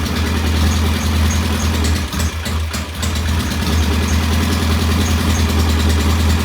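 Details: Norton P11 vintage British motorcycle twin, first start after carburetor fully disassembled and fresh gasoline; lumpy, uneven idle around two and a half pulses a second, dipping briefly; one carb's pilot jet, set about one and a half turns, not following adjustment, suspected blocked.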